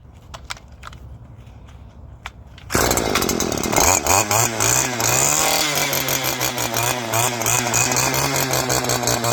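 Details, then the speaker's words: Two-stroke string trimmer after removing its clogged spark arrestor screen: quiet, then the engine catches and settles into a steady, high buzzing run with even revs; running properly, problem solved. "Problem solved. I just saved you guys about $100. Say $100, all you do is pop that screen out and you're good to go."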